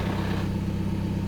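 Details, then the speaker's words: TDI idling after fitting a DKM stage two single-mass flywheel clutch in place of the silent dual-mass: a light, fast gearbox rattle appears once the clutch is released, louder on the gearbox side; normal for this setup. "so this is what the clutch pedal in and then when I let out you can hear the gearbox rattle very typical so"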